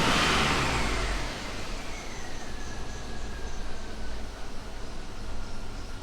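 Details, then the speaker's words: GMC Yukon with LS engine, revved then idling: faint repeating high chirp over the idle after the rev dies away; A/C belt tensioner pulley squeaking, not real bad. "let's rev it up a little bit I'm hearing it it's not real bad but I'm definitely hearing"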